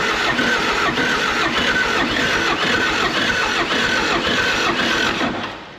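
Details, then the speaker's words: Inoperative military John Deere 450G dozer with a John Deere 4045 diesel and 300 original hours, hard cranking: rough, gritty turnover with an irregular gallop about three beats a second and no catch, metal grinding; internal engine damage. "okay it don't sound like no John Deere 4045 I've heard s like she's um polishing her Metals together"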